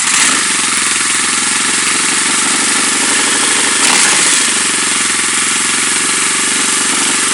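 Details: Engine idling with an uneven, lumpy beat around three pulses a second and a brief dip midway; rough idle returned, owner suspects a vacuum leak.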